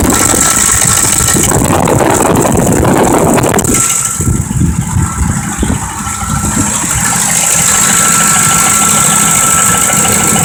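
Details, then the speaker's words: 2005 Ford Expedition 5.4L idling rough after being put in drive and back to park, with a stumbling, shaking uneven rattly beat; obvious misfire, barely running under load; forward clutch also not working, cause not yet pinned down. "Alright, this engine is obviously misfiring. It's hardly running on its own when you put it underneath a load."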